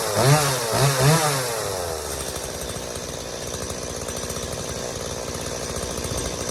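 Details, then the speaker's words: Stihl MS180C chainsaw that wouldn't start and bogged and died on throttle after sitting, now after a carb rebuild (new metering diaphragm and gasket, pump diaphragm and gasket): a few quick rev blips, then a steady, even buzzing idle with no bogging; fixed. "all right guys there you have it steo ms180c is ready to roll again all it needed was a simple carb rebuild"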